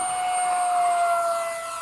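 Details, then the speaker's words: Freewing 70mm EDF F-35 on a 6S 30C 5000mAh pack, near full throttle: a steady high fan whine with a second tone stepping up and a slightly rough note, from a fan that is a little chipped. "I can hear it. I can tell that fan's a little chipped."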